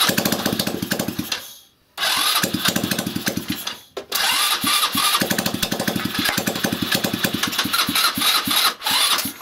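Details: 161QMK single-cylinder engine, first start after long idle and rebuild with timing set: catches, cuts out briefly twice, then keeps putting along on its own. Rebuilt engine starts and runs.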